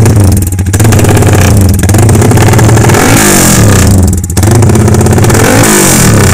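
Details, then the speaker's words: Yamaha Y15 upgraded to 70mm with full Tobaki parts, on a temporary ECU with throttle held slightly open since the TPS screw can't raise idle, before dyno; loud rough boomy running with rev blips, noisy because fuel is slightly rich low down. "Kita dengar sikit bunyi dia macam mana. Dia agak bising sebab minyak agak lebih sikit lah belah bawah tu."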